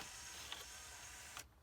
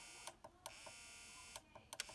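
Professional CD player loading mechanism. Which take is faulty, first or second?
second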